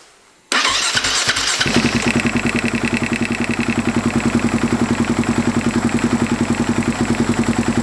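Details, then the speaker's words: Husaberg FX450 single-cylinder at cold start and low-rpm idle: lumpy idle with a sharp metallic slap that rises in frequency on throttle. It is cam chain knock from a weak stock hydraulic tensioner, fixed with a Dirt Tricks tensioner. "I hope you could hear it it's like something is hitting the there's this metal sound like when I go on a gas it gets you know a higher frequency"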